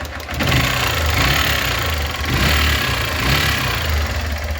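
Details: 2008 150cc single motorcycle idling: quick steady metallic valve tapping from the top of the engine, returning after two valve adjustments; mechanic suspects a worn valve, head to be removed; finding is a seized rocker assembly.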